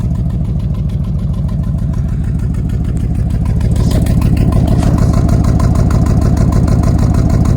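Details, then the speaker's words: 1990 Chevrolet C2500 V8 idling, oil burning off the manifold, timing already checked; faint regular stumble about three times a second, a skip felt more in gear. "it runs has gotten skip to it now when I put it in gear I've already checked with the timing see cranks ride up you can feel a slight skip"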